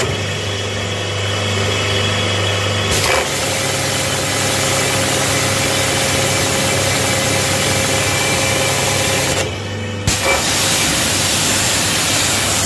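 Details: HTP high-pressure pump, 4 HP per owner, switched on directly: switches on at about three seconds and settles into a steady, even buzzing drone with no knocks or surging; normal running.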